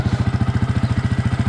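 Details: Yamaha YZF-R 125 with Powertronic fitted, previously running lean (white spark plug): steady, even idle pulsing about twelve times a second, low and smooth with no popping or misfire; running clean.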